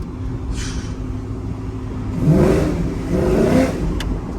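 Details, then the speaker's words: GMC Sierra 5.3 V8 with BTR stage 4 cam, 3400 stall converter, longtube headers fixed (new exhaust gaskets), equal-length exhaust, CTS-V X-pipe, Corsa axle-backs, resonator: deep even burble revved on road, no ticking or puffing leak; healthy exhaust. "I mean I'm not even gonna fret about it I mean listen to that equal length exhaust holy crap"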